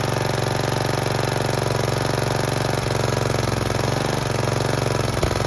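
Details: Snapper riding mower single-cylinder engine after it died while mowing; sticking carburetor float fixed by reversing float bowl, started choked in neutral: steady even chugging with no stumbling or dying; runs normally.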